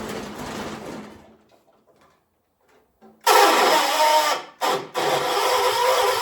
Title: Hard Start 1976 John Deere 300